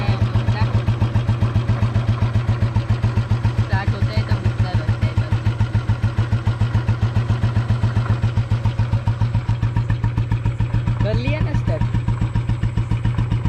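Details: Bullet motorcycle idling after its first start in a long while. A slow, steady thump at about three to four beats a second carries a hard knock on each beat. Owner says a rod noise began after a relative's short 2 km ride: suspected worn connecting rod.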